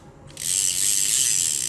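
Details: Used Japanese-market fishing reel being test-retrieved: fine, even high-pitched ticking whir runs steadily while the handle turns, with no catches or rough spots. It retrieves smoothly.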